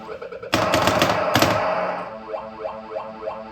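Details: Bally pinball machine, side ball kickout taken apart and cleaned of rust; two sharp, loud bangs about a second apart over light mechanical ticking as the kickout solenoid fires cleanly, now working properly.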